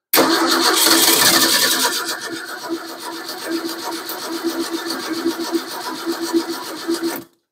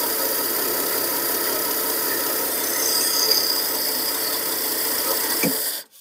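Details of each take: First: 1953 Ford 4x4 truck, cold start around 38°F with fresh gas just put in the tank, no radiator fitted; even starter chug about four beats a second, cranking without firing while the pump primes, no fuel reaching it yet. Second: 1953 Ford 4x4, cold start at about 38°F on gravity-fed gasoline, no radiator fitted; a steady, even, fast-paced run with no knocks or misses, dying away at the end; the engine sounds healthy.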